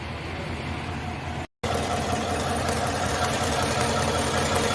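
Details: 2021 GMC Tahoe V8 idling with a slightly uneven, lumpy beat of about three pulses a second, a misfire; cylinder 4 was found weak.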